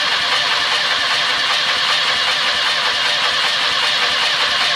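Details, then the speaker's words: VW bus engine cranking with only three cylinders holding compression: starter churns in fast rhythm, one beat in four quicker and lighter; cranking cadence reveals one cylinder with no compression. "you can hear very clearly that one of those cylinders doesn't have compression indicate cranking cadence"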